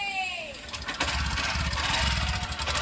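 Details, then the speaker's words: Honda Shine 125 BS6 with an engine noise complaint: quick, light tapping clatter over the single-cylinder idle. The noise comes mainly from the head and cylinder kit; the rocker must be replaced and the camshaft will be checked. "ஏன்னா அந்த sound மெயினா வந்து பார்த்தீங்கன்னா head cylinder kit எல்லாத்துல இருந்து தான் வருது"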